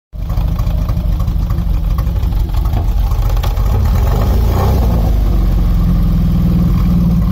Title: Engine misfiring.. 2.0CIH